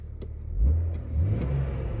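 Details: Jeep after a temporary failed window regulator fix: a short, clean blip of revs that rises and settles smoothly with no knock, rattle or stumble; engine sounds healthy.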